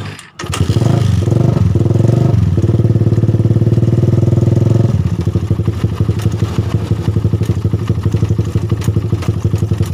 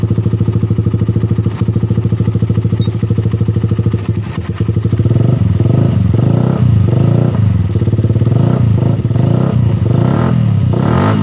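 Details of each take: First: Suzuki Satria FU idling with a rough, loose ticking around the cylinder head, intermittent; suspected worn cam chain tensioner letting the cam chain go slack and slap, before opening the head cover. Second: Suzuki Satria FU after repair: engine idles smoothly and revs with no more rough ticking from the cylinder head, fixed by replacing the damaged cam chain tensioner with a stud-bolt type; normal idle.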